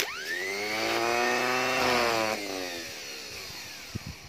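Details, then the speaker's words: Starter motor bench-tested off the car, for a no-start engine: whine climbs quickly to a high steady pitch, holds, then winds down smoothly without grinding. It spins fast, so the motor itself is fine. "Kalau begitu, kemungkinan masalah di sini dia tiada, sebab starter ni laju pusing."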